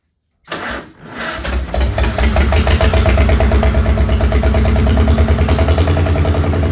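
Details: Old Farmall H gasoline tractor, just revived with fresh oil, oil in the oil-bath air cleaner, battery and gas, cranks and catches into a lumpy, uneven beat with pops. It shows blowby and is suspected to be missing on cylinders and down on power.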